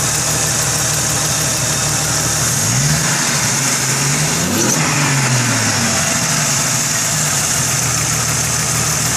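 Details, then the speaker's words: 1998 Jeep Cherokee XJ 4.0 inline-six with ported 7120 head, ported intake, Banks header, electric fan running: smooth steady idle under loud fan hiss, brief rev blip settling cleanly; normal idle. "She runs like a dream."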